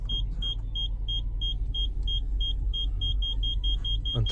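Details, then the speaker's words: Brand-new 2019 Seat Ibiza with 14 miles and newly fitted rear parking sensors, reversing toward a wall at idle; high beep repeats about twice a second, quickening until it becomes continuous, signalling time to stop. "Until the beep gets continuous, and then it's time to stop."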